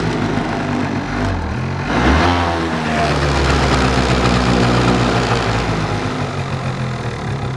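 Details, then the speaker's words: Two-stroke scooter carburettor with choke fully off: pops and stumbles when throttle opened, revs rise briefly then sag unevenly; lean mixture bog and misfire, unridable without choke, cause still being sought starting at air filter. "Вот сейчас характерно, смотрите, даю газу, а он не хочет газовать, взрывается как бы."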